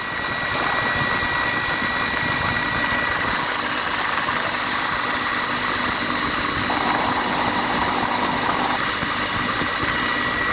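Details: Atlas Copco GA15 air compressor running steadily with a thin constant high squeal over the hum; abnormal sound attributed to a belt issue, likely slipping or worn drive belt.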